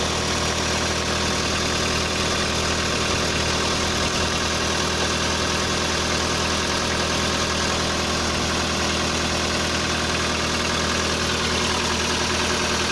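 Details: VW Polo sedan, CFNA engine, 193,500 km, cold start at −30° with the clutch pressed. Steady idle with light, fast ticking and no deep knock; only the hydraulic lifters are heard, no pistons.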